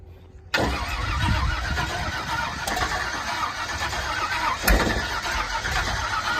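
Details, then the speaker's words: Race vehicle (Sunburn), carbureted, fired up just after fueling: short crank, then a loud, ragged, uneven idle that slowly clears; badly flooded, float level being checked, smaller jets suspected. "Yeah, baby. That's really flooded, Jordan. Wide open."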